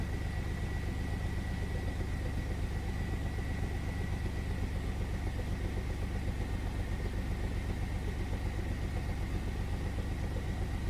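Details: 1999 Chevy S10 4.3 at low idle (about 1900–2000 RPM also checked): uneven, lumpy chuff about four times a second as cylinders 4 and 6 get no fuel despite good spark; fuel spider swapped for a used one of uncertain history; misfire.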